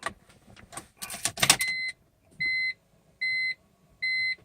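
Key clicks, then three evenly spaced high beeps with no starter whirr or engine turning over; the car gives warnings but won't crank.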